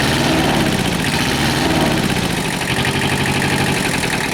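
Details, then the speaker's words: Kubota tractor two-cylinder diesel just rebuilt after a low oil pressure problem, first run on old oil: steady loping idle with an uneven two-cylinder beat and no knocks or misses. Normal idle. "sounds good it's a two-cylinder so it's got a weird kind of thought to it"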